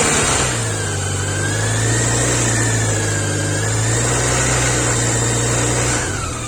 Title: Bmw K 1100. Bruit moteur